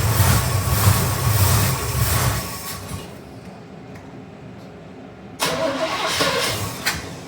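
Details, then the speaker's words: 1971 Chevy C10 shortbed; owner sees no accelerator-pump squirt and sprays brake clean in the carb. Steady starter churn pops briefly, then drops off and dies; another short crank also fails. "let's try it out see if it pops off there we go and of course she dies give her another try here"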